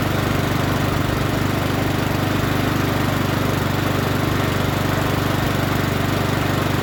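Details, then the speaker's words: Troy-Bilt TB130 push mower, Honda GCV160, after turning the fuel tap on: steady, even single-cylinder drone at constant speed, no surging, misses or knocks; running smoothly. "now it don't sound too bad don't sound too bad let's start it up again sounds pretty good now"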